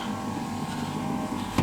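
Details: 1988 VW Westfalia van power window: an even electric whir with no straining or clicking as the glass moves, ending in a soft stop, so this window motor works fine.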